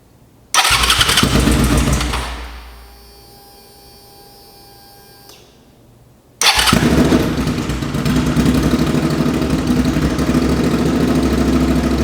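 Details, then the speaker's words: 2005 Suzuki V-Strom 650 after engine swap for rod knock, very low-mileage replacement engine, no muffler: fires loudly, fades, catches again and settles into an even open-exhaust idle with no knocks; healthy running, no drips. "This thing sounds great. Obviously I'm gonna put the muffler on it. It still sounds really good, but that sounds so mean."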